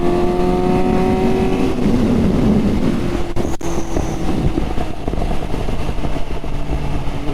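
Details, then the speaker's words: Suzuki GSX-S750 with Power Commander 5, preloaded Dynojet map, Yoshimura can and aftermarket air filter; engine note falls as throttle closes with crackles and burbling never heard before the install: exhaust pops and burble on overrun. "Don't know if you can hear that, but it never used to pop and burble like that on the other run before."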